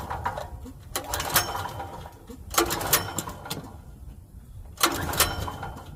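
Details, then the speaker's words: Generac GP5500 portable generator, bought used about a year ago and left sitting; three recoil pulls about two seconds apart, each whirr dying without firing; won't start because the fuel tank is bone dry. "is all right it's not really starting let's see if we can try something else all right so this is just a lesson just to check your Basics always all right so this thing is bone dry so we're going to get some gas for this"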